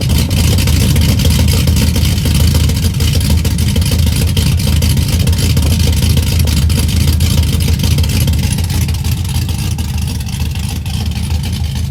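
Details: 2004 Chevy Silverado stock 5.3L LS V8, first cold start after cam and springs swap (218/227 duration, .526/.524 lift, 109/115 LSA), accessories unhooked, weak battery: fires right up, deep loping rumble, choppy uneven idle with rev blips; cam sounds good.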